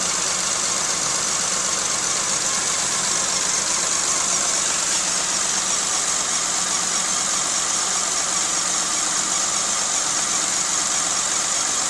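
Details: Rebuilt engine and head in a 1995 Geo Metro with an uneven, loping idle and a stumbling beat under a hissy background. Cylinder 2 had no compression from stuck lifters and ran much smoother once this was fixed.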